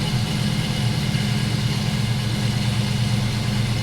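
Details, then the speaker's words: Sierra with a 4.3-to-5.3 engine swap and cam, cold start after a couple of weeks sitting, new tune: steady deep idle with a mild, slightly choppy cam lope; healthy. "It's a cold start, hadn't been started in, I don't know, maybe a couple weeks now. You can definitely tell it has a cam. It's not like crazy choppy, but you can for sure tell."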